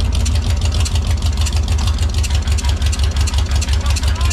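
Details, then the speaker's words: Motorhome Mopar 440 big-block V8, said to have run when parked, test-fired with Carter AFB carb, swapped intake, no cooling; lumpy idle about three pulses a second with occasional irregular pops, owner suspects ignition or electrical. "not really sure what that popping was but it was probably ignition related or electrical but I feel like we've got something we can work with here"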